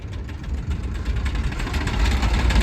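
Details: Mid-1990s GMC TopKick manure truck with a blown engine leaving a line of oil on the ground: rough, uneven idle with fast ticking riding over it, getting a little louder, as if missing cylinders; engine ticking like crazy, motor considered toast.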